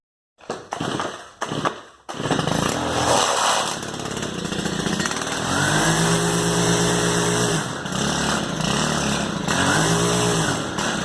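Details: Stihl FS110R two-stroke trimmer before carburetor replacement, catches and runs rough and uneven, sagging instead of climbing when throttled; engine bogging, won't rev, fixed by a new carburetor.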